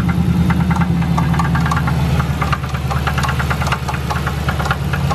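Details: Dodge Charger SRT8 6.1 struggling to stay running, engine light on: rough idle with sharp ticking knock about three per second, unevenly spaced; owner fears motor is done, may need shop rebuild; cause unknown.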